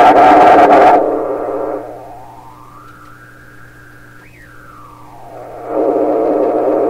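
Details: 1928 RCA Victor Model 28V radio during final alignment: whistling squeal glides up, holds high, then drops away over a low hum as the feedback capacitor is opened to reduce regeneration; feedback oscillation.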